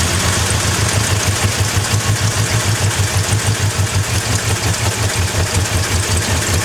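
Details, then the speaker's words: Drift-build Ford Crown Victoria V8 started after sitting: loud, lumpy idle with an uneven pulse about three beats a second that never settles; rough running, cause not found. "so we've got to keep looking and figuring out what is the deal why is it running like that all right we started up you hurt it runs like [ __ ] so there's"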